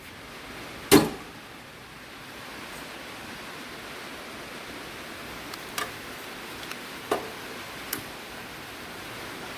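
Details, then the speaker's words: Coleman liquid-fuel camp stove after fuel tank pump repair, pumped about 30 times and holding pressure: sharp pop at lighting, then soft even hiss with a few light clicks as burner burns steadily; normal burner hiss. "once you get it pumped up you turn it to the right push it down and this definitely has held pressure you can hear it so let's test it"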